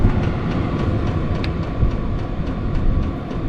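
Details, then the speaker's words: Compact VEVOR 12V diesel heater with Bluetooth, battery-powered on default settings and putting out about 163 degrees. A steady, even blower roar with regular fuel-pump ticks a few times a second; running normally and quietly. "And that's not that loud, guys."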